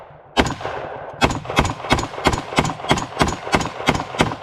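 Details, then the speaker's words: Bear Creek Arsenal .223 Wylde AR-15 upper after fitting a heavier buffer spring and buffer (bolt previously failed to close, light primer strikes every two to three rounds): quick even cracks, about three a second, cycling every round cleanly. "so what i've done now is put a heavier buffer spring in it and a heavier buffer and it runs flawlessly now"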